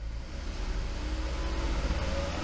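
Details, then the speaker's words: 2015 Ford Flex during battery, alternator and starter test, engine held at about 2500 rpm (no tach), electronics off: steady smooth even drone with no misses; running healthy. "I don't have a tack, but sure, that sounds like 2,500."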